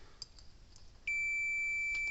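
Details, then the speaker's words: Cyclops Boss electric fence charger repair, meter checking a circuit board: after a second of quiet, a steady unbroken continuity beep shows the board is shorted and bad. "that's bad all three of those are bad"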